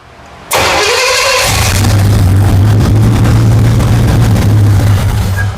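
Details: 1977 Pontiac Firebird overhauled 350 small-block, barn find after 18 years, first runs after timing advanced: quick crank, then catches into strong, even V8 rumble, steady firing, no misses; vacuum leak suspected; normal running after start.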